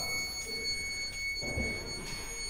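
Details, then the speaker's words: Ex-military Buffalo MRAP trainer on an M923A2 5-ton chassis: a steady high-pitched warning buzzer sounds over quiet cab noise. The cause is uncertain; switches were left on and an air leak was found. "What's this noise? Did we make something angry? Did you turn it all off? Yeah. Or is that air?"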